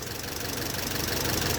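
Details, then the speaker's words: Engine that had locked up, idling after rod bearing replacement on badly worn journals: steady idle with light quick ticking knock; suspected mild bottom-end knock expected to settle as soft bearings self-clearance. "I just was thinking it's gonna knock, but them bearings are self-clearancing anyway."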